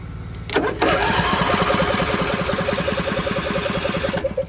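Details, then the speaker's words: John Deere D130 riding mower bought cheap, jump pack connected directly to the starter after it wouldn't crank; steady rapid cranking about three and a half pulses a second, engine turning freely but not firing. "Well, she cranks over, so that sounds pretty good."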